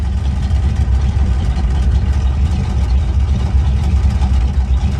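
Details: 1971 Chevy pickup V8 idling just after start-up, good oil pressure shown, aftermarket temp gauge: deep steady rumble with even beat, no knocks or misses; runs and drives good, healthy idle.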